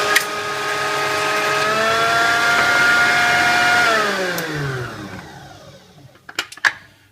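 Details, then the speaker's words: Kenwood Chef A701/A mixer at full power without gearbox load, centrifugal controller fully open so motor runs straight across the mains: whine climbs to steady high pitch, holds, winds down smoothly; normal, no grinding. "the only time it doesn't work is when the motor's on full power where it will work faster if it's running without the gearbox because the Cent Fugal controller has opened as as far as it can and the motor is just basically across the mains"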